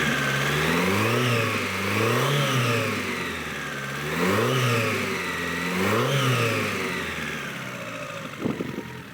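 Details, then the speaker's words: Warm Toyota Corolla 2E engine with an aggressive cam, port and polish, and noticeably loose engine mounts: repeated blips about every 1.5 s, pitch rising and falling cleanly with a slightly whiny, supercharger-like edge; revs freely, normal. "Kind of got a supercharger sort of sound to it, but yeah, that sounds nice."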